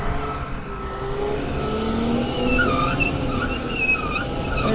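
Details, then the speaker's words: Crawler tractor at auction inspection, engine running: high wavering squeals over low engine rumble, suspected from failed bearing in an upper track carrier roller at the back; not confirmed. "squeaking going on that we shouldn't you guys hear that squeaking that upper roller in the backs out of it bearing"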